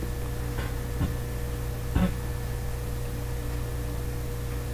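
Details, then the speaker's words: Homemade plywood bench wood lathe driven by an old washing machine motor through three-step pulleys and a belt, set to high speed: loud, steady, even low hum with no knocks or surging; running smoothly and stably. "it's on high speed now man it sounds like it's going to take off I was a little bit scared to put a tool to that stock when I first started up cuz it's it's quite a hum"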